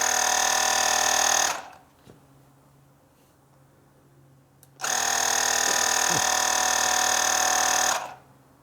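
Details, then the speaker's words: JFEGWO portable inflator, half charged, pumping a plugged 2010 Harley Softail rear tire toward 20 psi: high buzzing pump runs briefly, cuts out, restarts; struggles and stops at 18.5 psi, short of target pressure. "Nope, won't even give it to us now. Come on. Come on, baby. We're 18 and a half."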